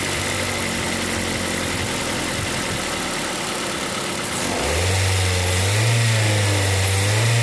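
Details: 2005 Ford Focus ZX3 with about 200,000 miles, being diagnosed for high idle and P2004: engine idles evenly, then pitch climbs and holds as revs rise, with the intake runner control actuator working correctly; normal running.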